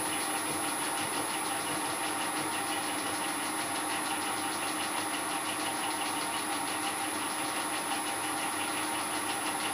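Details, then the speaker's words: Shaper-cut 20 DP 30° helical gear pair, bronze and steel, mounted in a mill with center distance being reduced: steady rough grinding whine with a thin high tone; gears meshing too tight and binding before backing off. "o gears closer and closer together until they start to grind then I'll back off until they run as quietly as they're going to"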